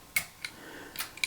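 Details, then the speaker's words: Mesa Boogie Big Foot pedal on a revision D Triple Rectifier amp after replacing all four chips: five crisp dry relay switching clicks with no chirping between them; relay switching now normal. "So if we look through this now, you probably hear the clicking go on."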